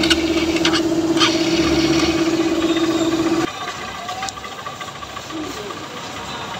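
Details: Honda Trigger motorcycle after tappet-cover work (cam and rocker had been marked) and fitting of all-original parts: small single idling with a steady, even beat and no loud top-end clatter; normal idle.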